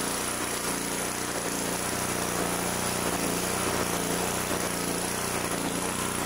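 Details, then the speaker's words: 2-cylinder engine, reassembled with the plug back in, runs rough with an uneven lumpy beat, one side still running cool; later traced to backed-out bolts letting the intake manifold suck air, weakening that cylinder. "still running a little cool on this side better than it was still something wrong with this thing going to have to investigate even further"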